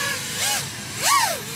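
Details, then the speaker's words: FPV quad's motors checked for ticking or grinding that would point to too-high D gain or off filters: tone sweeps smoothly up and down with each throttle punch, no grinding or ticking; healthy motors. "everything sounds clean right now but if you do get that that could be a sign that your D gain is too high or your filters could be a little out of whack but uh everything's sounding good here"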